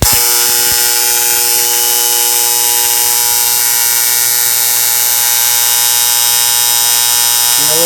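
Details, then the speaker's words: TIG arc rebuilding the puddle as filler wire is touched in: a continuous, high, angry buzz like a swarm of hornets that holds steady. A normal, stable TIG arc. "Now I'm going to come off the puddle. Sounds like a bunch of pissed off hornets, right?"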